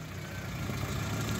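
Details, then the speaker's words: Suzuki Swift idling smoothly after a manual throttle body cleaning, which fixed idle that had swung between 1300 and 1100 rpm. Now a low, steady, even idle with no knocking or misses. Normal idle. "देखना दोस्त engine अब शुरुआत हो चुकी है। दरवाजा मत खटखटाओ, कुछ नहीं। बहुत चिकना।"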